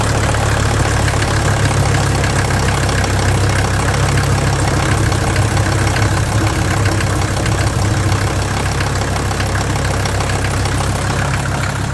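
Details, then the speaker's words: 1983 Mercedes 300D OM617 turbo diesel at idle, burning some oil with blow-by: loud, clattery, uneven knock; owner suspects injector knock, with injector number one much louder by stethoscope. Not confirmed. "it sounds like something's a little clattery on the inside and I'm not 100% sure what it is honestly it sounds like injector knock with the listening that I've been doing"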